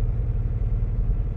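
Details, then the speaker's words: 2015 Audi Q7 3.0 supercharged: deep lumpy rumble with uneven pulses; rpm sags to the 500s instead of 900–1,000 after revving to about 2,000–4,000; misfire from low pressure at a failing high-pressure fuel pump. "and I'm at two 2,000 RPM I mean this right here which should be around 900 to 1,000 we're down to the 500s so this is the first issue that you start with when you have a problem like this"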